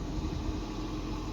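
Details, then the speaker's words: 2007 Toyota Prius Mk2 1.5 VVTi hybrid idling (held running with electrical loads on) on a freezing night after fixing the exhaust blow: quiet, even tick-over, no more exhaust blow; fixed. "it is ticking over there's no more blow from the exhaust so i'm really really happy that was such a nice simple fix"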